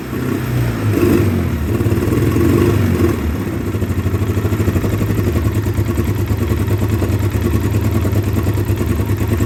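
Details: 2009 Polaris Sportsman 800, sat six months, bad fuel pump, injection cleaner in fuel, lumpy idle and weak mid-range: engine climbs hard then holds a busy fast beat, no stumble or misfire; mid-range to wide-open throttle runs great.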